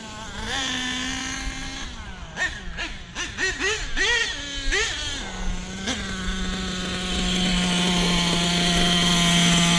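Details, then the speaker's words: Small nitro RC engine during break-in blips with quick throttle stabs, then settles into a steady, even high-pitched idle; normal idle. "That idle can stay right there, just like it is."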